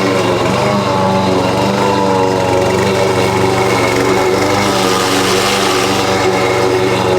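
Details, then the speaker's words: Husqvarna push mower that sat over 4 years, now with correct oil, cleaned carb and 87 octane fuel: runs much better, but a constant loose clatter rides over the engine from under the deck. Loose blade suspected; not confirmed. "I think the blades loose because it sounds like it underneath or something underneath is kind of rattling but I'll address it when I get uh before I give back to my aunt"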